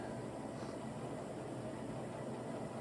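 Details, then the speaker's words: 2020 NordicTrack 1750 Commercial treadmill after roller bearing replacement, running up to 9 mph: soft, even hum with no grinding, rumble or ticking; former droning noise gone, running quietly. "looks like it was PR bearing now let's dump it up to six let's go up to N9 just to make sure super quiet like we solve the issue new berries"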